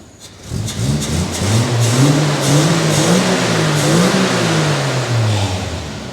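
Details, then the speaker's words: 1962 Rover P4 petrol engine restarted with air filter housing removed after tights sucked into the intake were blamed for stalling; revs climb and fall smoothly, clean even pull, no knocks or misses; healthy revving engine. "This thing is an animal. An absolute animal. Sounds mint with the air thing taken off as well."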